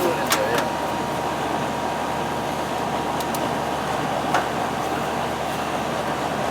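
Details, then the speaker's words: R22 AC condenser fan after replacing a bad capacitor that caused surging and likely stopped it starting: steady, even whoosh with low hum, no rise-and-fall surging; running good. "It's running good. Good. Before, you could hear it surging. You could hear it surging, like the fan."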